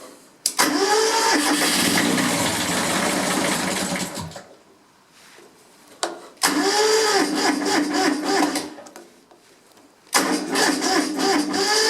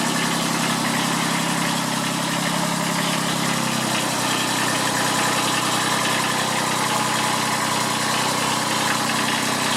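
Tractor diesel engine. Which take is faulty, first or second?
first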